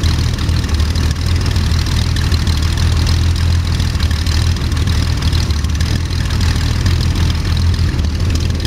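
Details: First start of Jabiru 3300 six-cylinder in plans-built Sonex with Rotec TBI, 50 hours on engine, mixture full rich, throttle in a quarter inch, oil pressure 42, seemingly charging: smooth even low-pitched idle, steady beat, no knocks, misses or rattles; sounded really good, normal idle.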